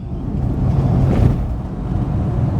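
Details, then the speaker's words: 1974 Rover 3500S V8 driving after its exhaust front pipe was reconnected: deep, even burble under load with no misses, pops or rattles over road noise; smoother and pulling better, running healthy. "it's just so nice. And it just that V8 Burble, the way this car just wafts along over the road."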